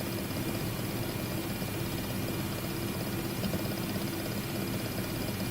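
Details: WD My Book 8TB external drive (WDBFJK0080HBK), the third unit after two RMA replacements, makes a constant fast rattle like a tiny pneumatic hammer over a steady hum at idle; the owner suspects the whole series does it.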